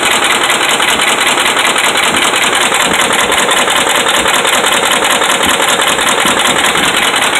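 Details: Dodge Ram 5.7 Hemi V8 held at fast idle, about 1,600 rpm, with a heavy, regular knock at about 78 per minute from bad connecting rod and crankshaft main bearings.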